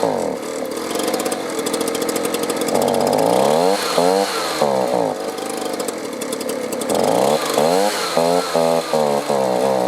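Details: Two-stroke leaf blower stored over winter on gas at least a year old: it runs on choke but surges and sags when switched to run, then bogs and quits. Lean fuel starvation, possibly a clogged carburetor, bad fuel line, clogged filter or water in the fuel.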